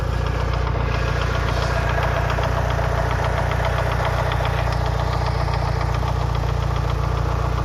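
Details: Mitsubishi Lancer Evolution VI 4G63T at 75-80°C oil temp after a track day: fast even tapping knock three to four per second at idle, top-end near cylinder 1; silent cold, quieter fully warm; bled lash adjusters didn't help; rod knock or lifters unclear.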